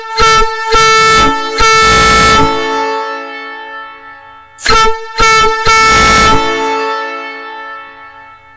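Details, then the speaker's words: Nathan Airchime ex-Union Pacific train horn before rebuild, shop air through rubber nozzle: two chords of short and long blasts, rough and uneven; poor output from internal corrosion and debris in the horn. "It's amazing those old horns even made any sound at all with all the corrosion and junk that was in there."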